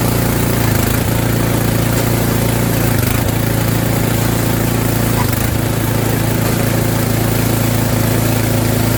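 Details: Snowblower's small single-cylinder engine after fresh fuel was added (about a third of a jerry can, suspected out of gas), during auger belt replacement: steady even running with brief speed dips, sounding much better and healthy.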